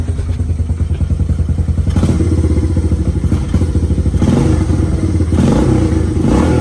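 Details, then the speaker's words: Honda Fatcat single-cylinder after carb cleaning, fresh gas and new plug, still cold with the choke off, idle screw turned down from too high. Slow, lumpy thumping idle, about three beats a second, lifting as the screw gets a quarter turn; idle possibly set too low. "It gets you some of that. Might have it idle too low. But it's still kind of cold, and the choke is not on right now, so give it like a quarter of a turn. That should make it happy."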